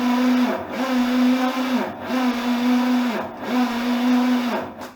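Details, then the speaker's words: 1941 Dodge army truck with a newly installed, not yet broken-in engine and a new rebuilt starter, cranked during a compression test. Steady whir with rhythmic compression dips about every 1.25 seconds; strong, even cranking; about 80 psi measured. "okay i'm going to go ahead and crank it over a few times"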